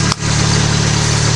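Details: Mitsubishi Eclipse petrol engine idling while warming up after alternator bracket fix, belt now lined up with the harmonic balancer: steady, even idle with a low smooth hum and no squeal or chirp from the belt; normal idle.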